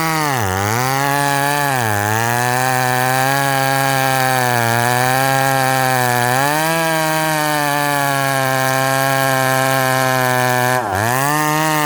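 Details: Ported McCulloch Super Pro 70 (70cc) at high revs, dogged into wood: screaming revs sag sharply each time the bar bites, then claw back. The saw is bogging and losing pull under load; cause not confirmed.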